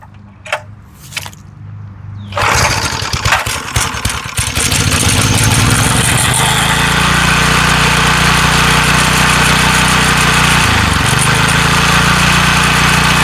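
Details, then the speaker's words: McLane edger after carburettor diaphragm and spring replacement without removing the carb, started on full choke at half throttle. It catches after two pulls, stumbles briefly on choke, then settles into a steady, even run: running properly. "Pretty good. She sounds pretty good. I'm pretty happy with the way that came out."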